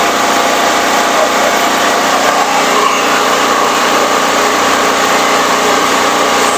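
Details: Firman 3650 W yard-sale generator, choke on: a quiet even hum at one steady pitch with no stumbles, speed a touch low and the owner plans to raise it to about 61–62 Hz; normal running.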